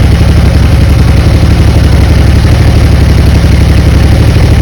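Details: 1996 Honda Magna 750 first running after about four years stored in a barn, cold, carb leaking fuel: deep loud idle beating unevenly and hunting. Rough cold idle.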